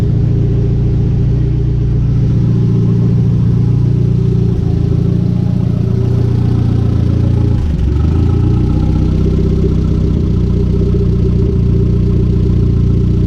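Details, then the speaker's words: Conquest turbo G54B four, warm idle just over 180°F after a loose alternator wire was fixed, cooling fans not yet on: a steady, even low idle with no knocks or misses, only a brief dip mid-way; idling normally. "So as you can see, it's idling beautifully. Temperature is at a little bit over 180, so the fans should be kicking on soon."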